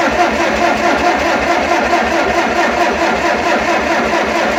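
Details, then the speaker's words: Tractor with carburetor dumping gasoline, owner believes badly flooded; fuel off and choke open, starter churns evenly a bit over two turns a second, never catches; rusty cylinder also suspected: cranks but won't start. "it's not going to go well that didn't go like planned"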